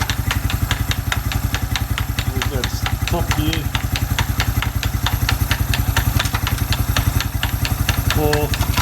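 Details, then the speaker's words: Suzuki Quad Runner 250 single-cylinder idling under restoration, exhaust refitted back to spec: even, regular beat with no skips, knocks or rattles, light background clinks; normal idle. "exhaust I think it sounds all right well it sounds like it's gonna sound because it's back to spec"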